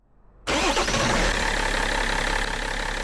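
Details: BMW E60/E61 M57 diesel after EGR valve cleaning with a new gasket, first start: the engine catches quickly and settles into an even diesel idle clatter with no misfire or hunting; a healthy start.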